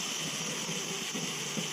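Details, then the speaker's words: Coleman 533 Dual Fuel stove pumped 25 times, valve turned fully on and lit to prime and heat the generator, in hot weather: steady high-pitched hiss with no sputter or pops; normal priming. "Okay, make sure you turn it on fully, let it prime, let it heat up the generator."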